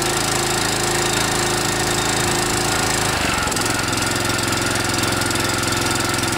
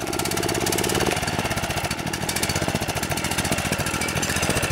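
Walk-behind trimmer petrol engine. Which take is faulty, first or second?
second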